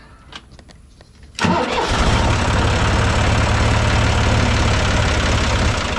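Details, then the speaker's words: John Deere 2155 diesel tractor after the faulty starter solenoid was replaced (before, it only clicked and wouldn't crank): brief cranking, then it catches at once and settles into a steady idle with no clicking; fixed. "All right, I'd say it's fixed. All right, not too bad of a job."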